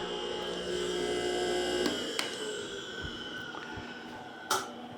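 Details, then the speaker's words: Discarded pump motor after blowing out dirt and WD40 on bearings, pressure switch bypassed with a temporary plug: smooth steady hum at constant pitch, no knocking or grinding; runs fine. "it runs just fine so I couldn't make a video of taking it Taking it all apart"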